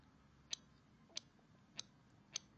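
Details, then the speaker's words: Bench test of homemade TL494-based MSD ignition on 12 V battery, negative trigger, duty cycle set high: four crisp snaps about 0.6 s apart as the spark plug fires cleanly; ignition working. "So you can hear something firing, which is this spark plug."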